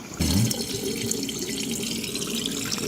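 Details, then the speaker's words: GE dishwasher that only filled and would not wash or drain, drain pump motor freed by turning its impeller teeth with a flathead: pump now runs with a steady, even whoosh of water draining, normal operation. "yep still draining still draining a lot of water in there"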